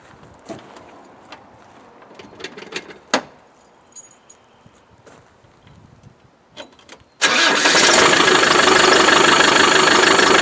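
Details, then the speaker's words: Land Rover Defender 110 300Tdi diesel from Ghana, starting: clicks, cranking, then loud clattery idle with a metallic rattle, a wee bit smoky; rattle cause unclear, smoke possibly blocked separator. "Making that rattling noise. it sounds very good. It's a wee bit smoky."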